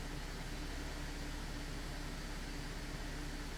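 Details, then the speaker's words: 2008 GMC Acadia 3.6 L after repairing lean codes P0171/P0174 (check engine light on): fuel trims now good, O2 sensors switching, no longer running lean. Quiet, smooth idle hum with a steady low tone, no hunting or misfire; normal idle. "so this is fixed guys okay our lean code is fixed okay the engine is no longer running lean"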